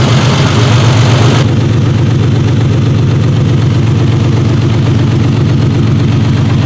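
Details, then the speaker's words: 1968 Triumph TR250 on jack stands, first fire-up since the body went back on the chassis: a steady, deep idle at about four beats a second, even and settled with no knocks or misses. It is sounding better. "all right we're getting there sounding better anyway"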